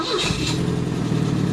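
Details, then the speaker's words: 1964 Volvo 1800S, engine warm: a brief crank catches straight away and settles into a steady, even idle with no misses or knocks; it starts cleanly when warm, and oil pressure is good. "so it fires up pretty good once it's warm it has pretty good oil pressure too"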